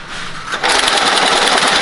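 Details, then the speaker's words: Telephone exchange trouble recorder at Seattle's Connections Museum, with a failure simulated: after a quiet moment, fast, dense mechanical chatter starts and holds steady as it prints a physical fault record. "One of the ways they did that is with this trouble recorder, which actually prints out a physical record whenever this machine encounters a failure."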